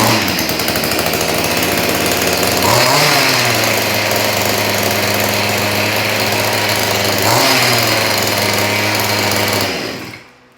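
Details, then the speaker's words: Stihl BG86 leaf blower reassembled from a box of parts, air box, air filter and intake block screws still missing: buzzy two-stroke holds steady high speed, rises briefly twice, then dies away. Normal running. "Well, there we are. This BG86 starts and runs. That's pretty awesome, I think."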